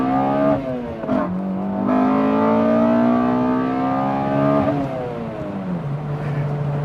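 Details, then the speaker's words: Honda Accord with rebuilt K24Z3 block and K24A2 head swap, Drag Cartel cams, custom tune, under acceleration: revs climb cleanly, note hardens sharply as VTEC high cam engages, then drops on shift; strong, healthy pull. "You get that old school crossover to where you're at low revs, and then that VTEC kicks and you can actually hear the difference."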